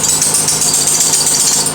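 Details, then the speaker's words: 1992 Lexus ES300 idling while steering wheel is turned: high thin chirping squeal from the front; the main belt is fine, the inner power steering belt is loose and slipping. "that's a loose belt that's a little girl oh yeah it's a loose belt so it's the belt inside that is loose"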